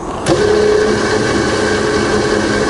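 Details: Rebuilt Bridgeport belt-drive milling machine with spindle running in reverse: steady, even mid-pitched hum with no knocks or grinding; spindle sounds healthy.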